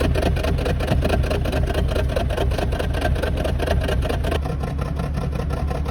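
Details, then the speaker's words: BMW 330i N52 on the ramp, random intermittent misfire and cutting out when braking downhill: the engine runs with an uneven, stumbling beat and a dip partway through. The fault was traced to a faulty in-tank fuel pressure regulator, with the pump and module to be replaced. "Next job, guy says, every now and then, random, dead sporadic, goes down a hill like this, driving. When he brakes, the car cuts out."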